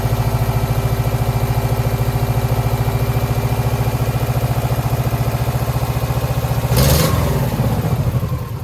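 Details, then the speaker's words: 2009 Subaru Forester X EJ253, third start after rebuild with remanufactured heads, coolant in but no smoke: stumbling idle of about three to four pulses a second with dropped beats. Owner suspects a cylinder 2 misfire from a cracked head, possibly water in the block. "Okay, my working theory is that from the cracked head, it's still got a cylinder 2 misfire."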